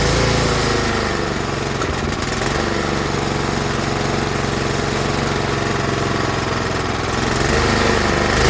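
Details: Tecumseh snowblower small engine with a clogged carburetor pilot jet: engine speed rises and sags instead of holding steady, a hunting surge.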